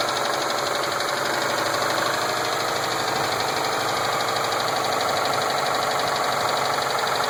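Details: 2007 Subaru Impreza WRX STi with Wiseco forged pistons, ACL race bearings and ARP head studs: light uneven tapping at idle, about four a second; rod knock suspected, unconfirmed.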